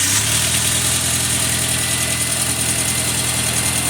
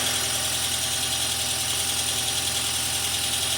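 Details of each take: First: 2002 VW Passat 1.8T after engine swap, second start, idling: loud hissy uneven puffing over steady run; exhaust leak suspected, still excessive. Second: 2002 VW Passat 1.8T wagon after an engine swap, the car having sat a while: even idle with a light top-end clatter, expected to quiet down; oil change still pending. Engine running smoothly, no misses or heavy knock.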